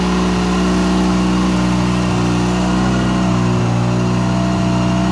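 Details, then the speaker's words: First start of a 13B turbo rotary in an RHD JDM FC3S RX-7; idle air control (BAC) not fully tuned, smoke from anti-seize burning off. Smooth buzzy rotary drone, slight wavering, no misses or knocks: normal idle, running much better. "So anyway, let me fire it up real quick again and show you it's working much better. There we go."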